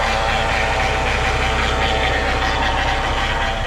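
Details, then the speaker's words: Chevy Cavalier with a transmission fluid leak that went low, running: fast, uneven mechanical ticking about four times a second under a loud engine, seemingly from the back, not the engine side; owner suspects the transmission, not confirmed. "it sounds like something back [Applause] there cuz it's not coming from this side of the motor I'm on this side of the motor and you cannot really hear it go here"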